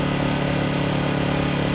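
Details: Harbor Freight Predator 1400 generator after 8 months of ownership, just started cold at 12 degrees with choke on the second pull: steady, even, smooth low hum with no knocks or misses; normal idle.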